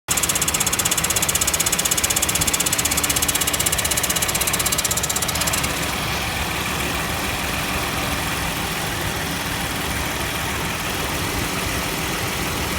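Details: Nissan Elgrand E51 idling with a fast steady rattle and faint hum that cuts out partway; abnormal air-conditioning noise, cause not confirmed.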